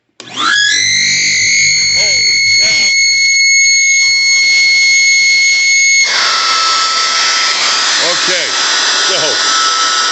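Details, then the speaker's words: Shop vacuum with shorter hose plugged directly into the tool: loud, piercing, steady whistle as it spins up, holding pitch throughout, worse than with the longer hose; the hose screams from airflow; cause not stated. "so the noise if anything is worse with a shorter hose"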